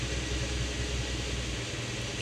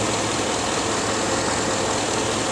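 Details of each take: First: Toyota RAV4 after a good spare fitted on cylinder one: even, smooth idle with the lights on, no shaking, zero misfire counts, no codes, no longer stalling. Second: 2006 Chevrolet Avalanche V8 at idle: rough stumbling beat under a steady roar; the cylinder 8 misfire moved to cylinder 6 after a coil swap, confirming a faulty ignition coil whose bolt wasn't threading in.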